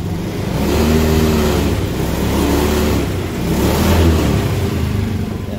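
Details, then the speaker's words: Honda Beat scooter after replacing the dirty fuel filter and fuel pump: the engine picks up cleanly on each throttle blip and settles smoothly. Before the fix it delayed and misfired off idle and started hard. Normal throttle response. "so Okay na so responsive na ulit yung throttle niya kanina kasi p hindi kung hindi man delay palyado kasi kanina pag nakaganon na naka Menor pa rin"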